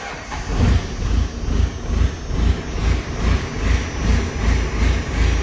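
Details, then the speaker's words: Diesel pickup with brand new 50-over injectors, cold start: loud even diesel clatter firing right up and settling into a steady lumpy idle around two beats a second; healthy start, lots of smoke. "fires right up not going to lie guys I really don't know what you you guys see in these second gen"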